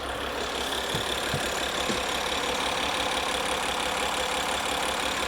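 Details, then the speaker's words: Maserati Ghibli rebuilt from two cars after the original engine was destroyed, first start on the swapped engine: even, smooth diesel rumble at idle, no knock or rattle, no leaks; sounds healthy. "How good does that sound? It's running. And there's no leaks."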